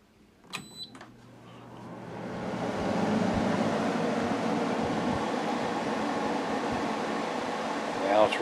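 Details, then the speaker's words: Kenmore window AC after replacing the fan motor with the bad bearing, unit installed in the window: steady, even whoosh and soft hum, no rattle, scrape or buzz; normal running, much quieter than before. "quiet compared to what it was before"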